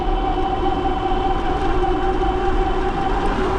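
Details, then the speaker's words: Bafang G900 750W hub motor e-bike with Flipsky 75100 Pro V2 controller, climbing a hill: steady electric whine at fixed pitch, labouring but still pulling; motor straining under load. "Going up this hill. Oh, you can hear it struggling there a little"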